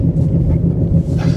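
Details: Car driven with a heavy low droning growl under road noise from worn wheel bearings; it pulls to one side under braking and previously clunked, while transmission shifts smoothly and engine runs well.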